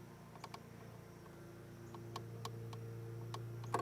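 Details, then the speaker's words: Yamaha Venture motorcycle after an all-day ride; faint, uneven creaks and clicks over a low hum as the front brake lever is squeezed; creaking front brake lever, cause unknown. "Except for the creaking in the front brake lever. Listen to it."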